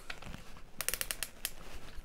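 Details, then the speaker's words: Makita DDF453 cordless drill (2021) with German Röhm keyless chuck turned by hand: quick run of six or seven crisp clicks as the chuck tightens and is turned back to lock; normal ratchet locking. "характерные щелчки патрон затянулся и теперь необходимо провернуть его назад слышите щелчок произошел"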